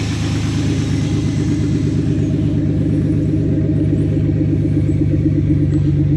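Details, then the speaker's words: 1991 GMC OBS short-bed truck at idle after start-up, cheap Flowmaster-style muffler behind the Y-pipe: deep, even rumble with steady exhaust pulse, no knocks or ticks; smokes at start-up (valve seals per the owner), otherwise sounds healthy. "I mean it don't sound bad it's pretty quiet actually"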